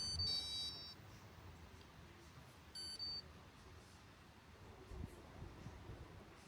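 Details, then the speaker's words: Lint-clogged Candy condenser tumble dryer, after program select: two short bursts of high electronic beeps a couple of seconds apart, E22 error; internet points to faulty main board. "And as you can see, the machine runs for a couple of seconds, and then you get this E22 error."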